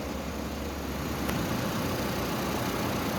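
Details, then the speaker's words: Fiat Toro 1.8 E.torQ, which came in with rough idle, lit check-engine light and engine noise, now idling evenly with a smooth low drone, no knocks, ticks or misses after repair; normal idle. "Mais um motorzinho top, funcionando perfeitamente."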